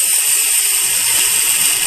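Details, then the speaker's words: Venucia (启辰) car clutch release bearing, removed with gearbox and spun by hand: dry, gritty hiss-rasp with no smooth whir; worn, grease-starved bearing that caused noise when pressing clutch, replaced with new one. "像这个声音呢，来自于这个分离轴承响的。待会儿我们把变速箱拆下来以后，来验证一下这个分离轴承在变速箱和发动机之间。"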